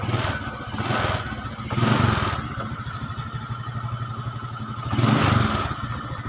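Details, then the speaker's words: Honda Supra X 125 carbureted single, after fixing a rough-running engine at the cylinder block: idles softly with gentle throttle blips, smooth and quiet with no harsh grinding; normal idle and rev. "Oke, itu ya, suaranya sangat sunyi, atau maksudnya sangat halus."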